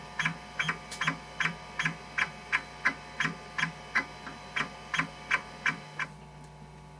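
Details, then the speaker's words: Kyocera KC-20B 20MB MFM hard drive in an Epson Apex Plus, after fix, Check It random-cylinder all-heads seek test: even rhythm of sharp seek clicks about three a second over steady spindle hum; healthy, no bad sectors. "So it's not quite as frantic, you can hear. Still very pleasant to listen to though."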